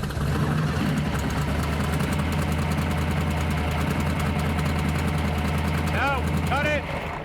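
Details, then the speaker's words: Drag Week 2024 V8 with a lumpy idle and a missing beat: the number seven cylinder is dead. The seven coil sparks through the five wire, so the seven plug wire is bad and is about to be replaced. "the seven wire has to be bad okay the seven coil is sparking through the five wire"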